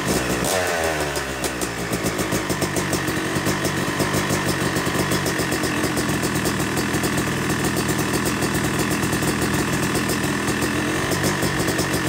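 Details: Yamaha YZ250 two-stroke motocross bike (270cc/250cc) after full engine rebuild (bottom end, transmission, bearings, clutch, power valve), second start-up after cooling, warming to about 100–125 degrees: crisp even idle with gentle blips settling cleanly; normal warm-up idle.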